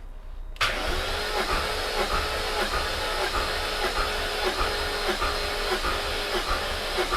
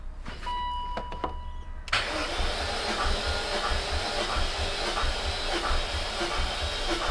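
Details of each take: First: High-mileage supercharged S62 V8 BMW E39 M5 compression test, cylinder 2 reading 170 psi with higher battery voltage: brisk, even cranking with steady compression beats; normal cranking compression. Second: High-mileage supercharged S62 V8 BMW E39 M5 during compression test (metal flakes found in oil filter), battery flat: slow, uneven starter churn about 1.5 beats per second; slow cranking from weak battery.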